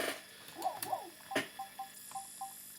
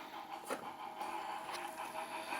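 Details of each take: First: Sega Saturn after capacitor replacement and raising a spindle that was scratching the disc: faint whirring chirps and clicks in repeated seeking bursts as the failing laser struggles to read; fixed by swapping the laser. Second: Model 1 Sega Saturn that froze, after raising the spindle and swapping the laser: quiet, even disc spin with soft seek clicks and no stalls or grinding, still reading normally after about 90 minutes across several games.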